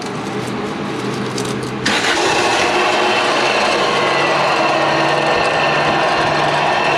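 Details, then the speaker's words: Acura Integra at idle: harsh, gritty, steady crunching over the engine, a bad bearing noise. The A/C belt tensioner pulley bearing is suspected, not confirmed. "That's I mean, it's not cracking jokes, but it's definitely not a good noise. It's a pretty bad noise. Pretty crunchy."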